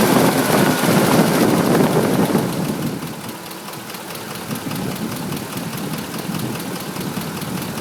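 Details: 2005 Ford F150 5.4 L, nearly 89k miles, Motorcraft 5W-20: revved V8 with quick, fairly steady knock about 2.5 per second, settling as revs drop, now at all rpm; owner suspects cam phaser, dealers split.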